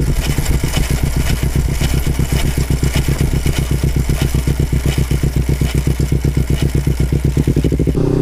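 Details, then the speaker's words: Kawasaki Ninja 250 FI, before gearset replacement: steady pulsing run about four beats a second with a coarse, hoarse rasp over the engine; worn chain and sprocket. "udah bunyi, udah berisik banget, udah nggak enak. Bunyinya udah serak udah gitu terus lah."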